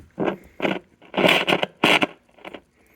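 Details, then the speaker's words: Heathkit T-3 signal tracer, recapped, powered up at about 90 volts: irregular bursts of crackling, scraping noise as the control moves, from a really scratchy, dirty potentiometer that needs cleaning. "okay we got a really scratchy pot here"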